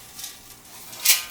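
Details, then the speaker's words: Air cleaner pulled from a wrecked 1958 Studebaker Commander that sat in a field for probably 30–40 years, shaken by hand: two short, dry, gritty rattles of loose debris inside, so it wasn't bolted onto the carburetor yet. "So, this air cleaner had been on that other Studebaker sitting in a field for probably 30, 40 years. I mean, a long time."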